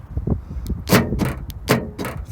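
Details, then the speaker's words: Nissan NP300 Navara D23 pickup with a newly installed Eagle4x4 tailgate central-locking kit: sharp paired metallic clunks about a second apart as the noisy actuator flexes its bracket and hammers the metal behind it; foam padding planned as the fix. "Now when I put my finger under here, when I want to hold in the camera, it's actually pretty tight to that metal behind and it does hammer your finger. That's what the noise is."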